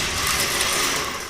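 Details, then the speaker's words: 1967 Camaro with a 572 engine upgrade: a fast, high-pitched whir with no cranking or firing as the MSD starter spins freely without throwing its drive gear out; a replacement starter has been ordered. "Oh, we're not getting it started today. The starter motor's stuck."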